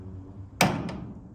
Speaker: so as as this roller is going down it like hits like this track which you can hear